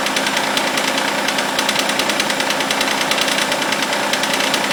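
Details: Mitsubishi Eclipse after cold start: sharp fairly regular metallic ticking under two per second, bright and clattery, comes and goes; owner suspects lifter tick or hydraulic tensioner, unconfirmed.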